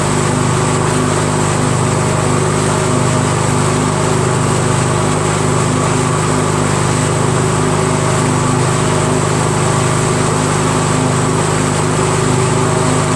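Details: Craftsman DYT4000 with a 14hp Briggs opposed twin repower, belt tension restored, electric PTO driving the 3-blade deck. Steady, even twin drone at constant speed with blades turning, no knocks or squeals. Runs clean under deck load. Earlier no-engage blamed on stiff belts and dry spindles.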